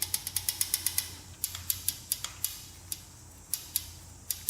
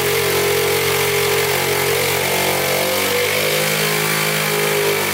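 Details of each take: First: 1977 Honda Z50 that won't start, engine stopped: sharp metallic clicks as the rocker is rocked by hand, valve very loose, clearance far above the 0.003 in intake spec, before adjustment. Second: 1977 Honda Z50 non-starter, timing chain loose but not skipping, timing and valves in spec, air leak at throttle body plugged: single-cylinder engine idles at an even beat, pitch shifting briefly then settling; oil leak near flywheel.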